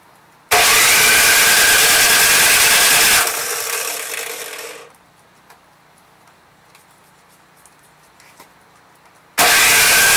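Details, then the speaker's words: Craftsman 179cc Powermore engine on a 22-inch snowblower, primed, electric starter whirring in two bursts but not catching; old fuel found bad and replaced with fresh gas. "So, prime it up. And let's see. No start."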